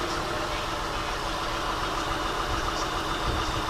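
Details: 2000 Acura TL with flashing check engine light, TCS light on, codes P0300 and P0306; uneven lumpy idle with irregular low thumping from a dead cylinder, where unplugging the coil gave no rpm change; failed ignition coil.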